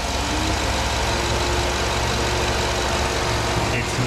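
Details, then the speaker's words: 2008 Chevrolet Tahoe 5.3L AFM/DOD V8, 187,000 miles, after replacing the oil pickup O-ring: smooth, even idle with a steady low rumble, the former knock blamed on lifters gone; normal idle. "all right so all right so here it is as you can hear hopefully there's no horrible noise going on"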